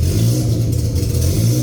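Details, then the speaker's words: K20Z1 K-swapped Honda Civic EM1 on a new DC5 Creations conversion harness with KPro, first start with the fuel pump jumped: fast, slightly uneven idle sitting a little high with a choppy cam-like pulse; owner suspects an air leak. "That's I just idle a little bit. It's a little high. All right, she has a little air leak, but she's turning on."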